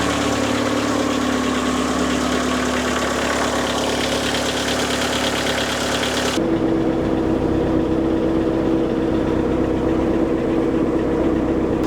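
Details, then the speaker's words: Car after cylinder head removal, inspection and reassembly: even, steady idle with a smooth hum, no misses, knocks or hunting; engine sounds healthy. "everything looks and sounds healthy the only thing left is to go for a test drive"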